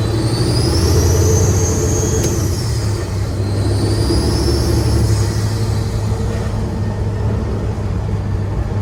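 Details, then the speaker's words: Diesel truck after injector cup replacement, driven with boost gauge watched: a high whistle rises and falls with throttle over diesel drone and road rumble, from the side not disassembled; boost leak suspected. "if I didn't know any better I'd say there's a boost leak but I didn't even disassemble anything on this side it definitely sounds like it's coming from over here it's that whistle"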